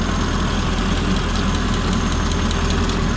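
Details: Mercedes-Benz with over 400,000 miles, idling after a part replacement and revving that seemed to clear an earlier injector problem: a smooth, even idle with a steady low rumble and no misses or knocks. Running normally.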